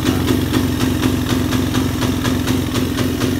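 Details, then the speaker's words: Suzuki Satria F150: single cylinder putters at a steady idle and won't rev though the throttle is opened; also sometimes very hard to start. Owner suspects about 90% ignition, valves less likely. "Hidup normal tapi digas seperti ini ya."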